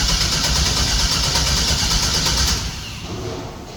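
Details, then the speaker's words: 1964 GMC truck after rewiring with a Holley ECU, fuel pump relay installed and fuel pressure unverified. It cranks steadily about three turns a second, giving only a small pop that seems to come from the driver-side bank, and won't start. "why is it not [Music] working it's like the same thing just gives a little pop yeah H and it still sounds like that pop is coming out of the driver side Bank"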